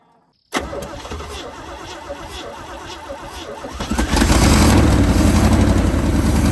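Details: First start of a farmer's 1980 Chevrolet Sierra Grande K1500 truck after sitting 22 years, with a new distributor and re-tensioned alternator and power steering belts. Short crank, catches at once, settles into a steady idle, then picks up a little. Normal idle.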